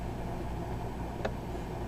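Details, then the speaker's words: Frigidaire FRS23W3AW1 refrigerator evaporator fan reinstalled after thawing out accumulated ice: only a quiet, steady hum with one faint click, no scraping or ticking from the blades; fan runs freely and sounds healthy. "okay now reinstalled the fan and this what it sounds like"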